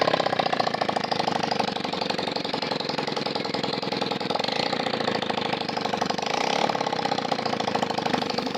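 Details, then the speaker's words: Splendor Plus after engine rebuild with new cylinder kit and head work, still white smoke after a month; silencer removed and revved to check: fast, sharp, even popping from open exhaust, no misfires, no white smoke; smoke blamed on oil stored in silencer. "இப்போ வந்து நம்ம சைலன்சரை கலத்தி எடுத்திருக்கோம் நம்ம start பண்ணி நம்ம பார்ப்போம்"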